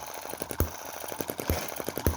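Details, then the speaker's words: Cheap Chinese M19/EM2 hit-and-miss engine, carb inlet reduced with metal putty: light mechanical ticking with a sharp firing pop about every second while coasting between fires. Normal, even running after tuning. "now that i've got it running really well well it's my beautiful little star again."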